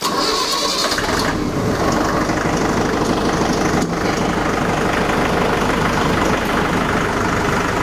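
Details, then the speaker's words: Tractor idling as a newly attached CountyLine post hole digger is lowered on the hitch; steady, even diesel idle with no knocks or misses while the implement comes down smoothly; normal hitch lowering at idle. "all right and now we should be ready now I just let this thing down"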